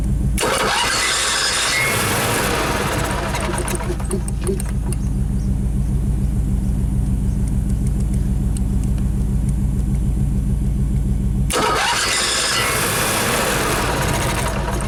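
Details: Carbureted onboard generator on a 1995 Pace Arrow Coronado motorhome (Chevy chassis), cranked with the throttle worked by hand: a steady starter rhythm of about a hundred turns a minute. Wet fuel is seen at the fuel filter; it came very close but never catches.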